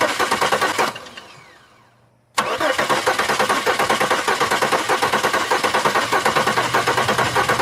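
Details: 2002 Chevy Malibu, fuel pump running: starter turns engine over steadily for several seconds but it never fires; crank-no-start, owner suspects fuel injectors not opening, not confirmed.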